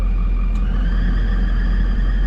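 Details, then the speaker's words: Steady whooshing rush with a faint even hum, no knocks, from the cab HVAC blower of a Ford F-550 4x4 with 7.3 diesel and 6-speed manual; blower is just noisy but works and blows cold. "no it's just a noisy blower yeah it's"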